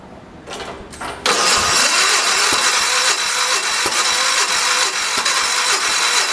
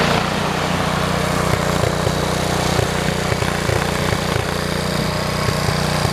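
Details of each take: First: 1973 112 tractor with new points, coil and condenser; points set per book; a few weak cranking bursts, then it catches and runs unevenly with irregular pops; ignition points out of adjustment. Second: 1973 112 tractor after new points, coil, condenser and points readjustment: even, steady low thumping at idle with consistent beat and no stumbles; normal smooth idle.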